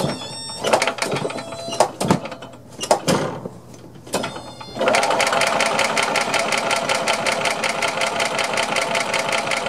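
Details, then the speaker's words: Long-stored Yamaha G2 gas golf cart, first start attempt in neutral with the choke stuck open: starter cranks at a steady rapid chug, about 160 beats a minute, but never fires; crank no start. "all right so what next i think i'm going to take the air breather off and off the carburetor and spray some carb cleaner directly through and see if it'll fire off if not then we need to check for spark"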